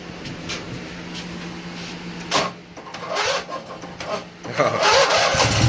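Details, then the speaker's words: Briggs & Stratton 18hp opposed twin started after carburetor cleaning and reinstallation: it cranks, catches and settles into a low, even rumble with no knocks or misses; running normally. "Listen to that opposed twin. I hope you can hear that. That's different than a V-twin. Listen to that baby low."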